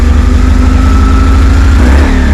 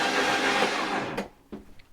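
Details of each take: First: High-mileage BMW R1150GS, first start: loud, fast idle that hunts unevenly with brief stumbles; one throttle body was held open, causing the rough high idle. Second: High-mileage BMW R1150GS "old yellow", spark plugs out: fast, even starter whir with no compression beats, engine spinning freely without binding; normal cranking, oil pressure light slow to go out.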